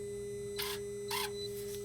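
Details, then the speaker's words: Dodge/Mercedes Sprinter, replacement turbo boost-pressure actuator after code 2510 limp mode (old one's lever didn't move), scan-tool test; two brief whirring bursts over steady hum as motor drives lever, responds as commanded; normal actuator operation. "so with the actuator now working the computer will be able to open and close the veins inside the turbo which is going to create more boost to the engine so that the vehicle can have power"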